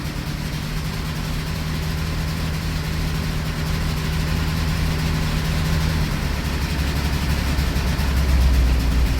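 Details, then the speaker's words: 1984 Dodge Mini Ram van, parked 25 years, cold start in freezing Minnesota weather, carbureted; lumpy, uneven low idle with irregular stumbles about four per second, running on roughly 3.5 cylinders; obvious misfire, cause uncertain. "Well, it's running, so it must have some. Soul Girl's out here still running. It's like 3.5 cylinders."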